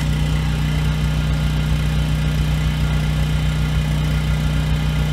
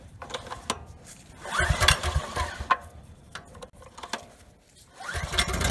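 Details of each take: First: Husky generator with Subaru EX30 engine, 7 years old, after carburetor rebuild, running under 1500 W load: steady even hum with no hunting; surges at no load, surge almost gone above about 900 W. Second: Husky generator with Subaru EX30 engine, 7 years old, cold night, light bulb load; pull-start then single-cylinder hunting at light load, choke stops surge; lean surging, likely dirty carburetor.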